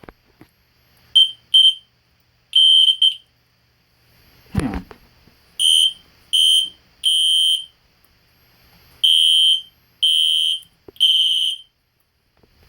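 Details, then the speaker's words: System Sensor P2475 and P121575 horn-strobes (15/75 candela) tested together: loud, clean high-pitched horn blasts in short irregular bursts. The alarm sounds as if on full-wave rectified power, and the strobes drift out of sync. "the alarm sounds like it's doing full wave rectifier which is fwr the strobes are not in sync anymore ones going faster"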